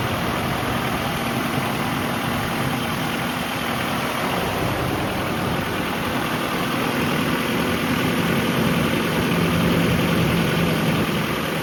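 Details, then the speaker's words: Nissan D21 truck, engine cold at idle after NGK plug and wire install: light, fast steady tapping from the top end; owner thinks lifter/rocker arm, possibly exhaust side, unconfirmed. "Oh yeah, I think it's definitely a lifter arm. It's coming from like right over here."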